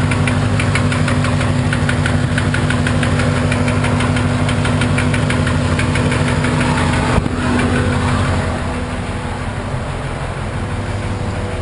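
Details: 1991 Corvette with an L98 V8 at idle: a steady, fairly regular deep knock, about three per second, over the low rumble; owner suspects rod knock, unconfirmed.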